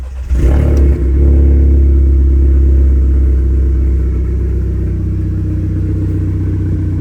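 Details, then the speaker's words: Audi A3 8P engine after replacing the crankshaft position sensor: lumpy, uneven idle with a low stumbling beat and occasional dropouts; misfire still present, slightly less with AC on, cause not yet found. "okay so we're still mess firing for now"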